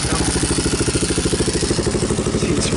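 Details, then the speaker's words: 2002 Yamaha Warrior 350 ATV with a new DG muffler, oil checked: steady, even single-cylinder thump at idle with a deep, throaty exhaust note and no knocks or rattles; normal idle. "i like i actually like the sound of it it sounds deeper throatier whatever you want to call it"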